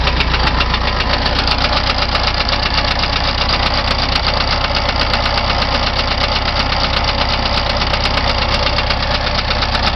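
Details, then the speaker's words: Rebuilt 1973 VW Beetle air-cooled engine idling with a steady, loose knock over its clattery run, still present after valve adjustment with proper gap; ignition timing not yet set, runs strong. "hey guys just got done with the valve adjustment but I still hear some knocking so I'm going to take a vid real quick and see what you guys think it is"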